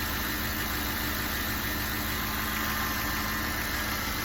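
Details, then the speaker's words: 2006 Cadillac DTS Northstar engine after spark plug and coil replacement for code P0305: a steady, even, smooth idle with no stumbles. The pedal shake felt during cranking before the repair is gone, so the engine sounds normal. "That sounds pretty fucking normal to me."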